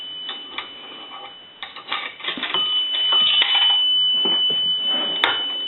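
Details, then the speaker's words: Automatic Electric three-slot payphone after repair and conversion, coin validator checked: light clicks as the coin drops, then a clear sustained bell tone; the coin signal works as it should. "we want to take a nickel and that's going to ring the bell once a dime will ring the bell twice"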